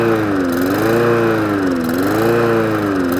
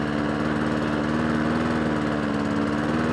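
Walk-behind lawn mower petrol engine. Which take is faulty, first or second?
first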